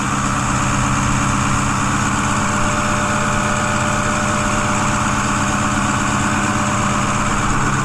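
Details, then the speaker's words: 2010 Ford F-250 6.4 Powerstroke diesel after engine rebuild, cold, heard under the hood, no smoke: smooth, even fast idle with steady clatter and no knocks or misses; normal cold high idle to warm up faster. "You guys listen to it, you can see that it's idling up right now. Notice that, how it's idling up? Because obviously it's cold out, so it's gonna kick itself in the high idle mode."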